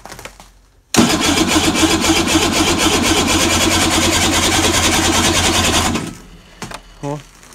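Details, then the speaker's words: Arctic Cat 570 snowmobile at −40°, electric start on a Varta AGM battery, choke fully open, starter already weak: fast, even cranking about four beats a second for five seconds with no firing; cold cranks but no start. "ну погнали посмотрим как он крутит"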